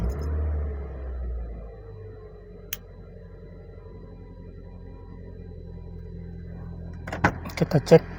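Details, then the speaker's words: Car engine starting after engine mounting bolts were refitted and the fan belt installed: it cranks, catches and settles to an even low idle with the earlier intermittent snoring/growl gone. Normal start and idle after repair. "suara mesinnya sudah aman ya untuk suara mesinnya gak ada yang memang"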